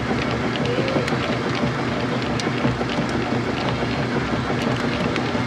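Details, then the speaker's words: Washer on large delicate cycle with blankets: steady churning with loose, uneven slosh about three times a second, no grinding; healthy agitation from an induction motor and transmission. "Wobble, wobble, wobble, wobble, wobble, wobble, wobble. That's the sounds of your quality transmission."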